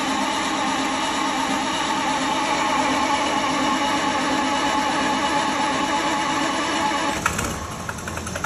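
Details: 1932 Bedford WLB bus petrol engine, first start attempt after overhaul: a steady, even run for several seconds, then a short burst and a lower settling note as it idles normally.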